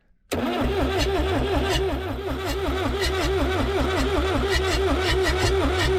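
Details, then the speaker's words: Abandoned Lull Highlander 844 telehandler diesel, jumped at the solenoid with injectors disconnected: steady rhythmic cranking with compression and occasional catches as it tries to fire; owner suspects a stuck plunger. "It sounds like there's compression. It sounds like we're turning it over fast enough where even if we had low compression, it should start. So, and we'll just keep trying it. Sounded like it was trying to do something there."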